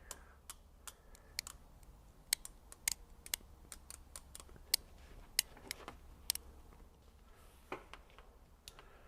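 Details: Craftsman Overdrive ratchet (121-piece set) with two offset pawls engaging alternately: fine, crisp clicks in an uneven click-clack stream as the handle swings; ratchet working normally.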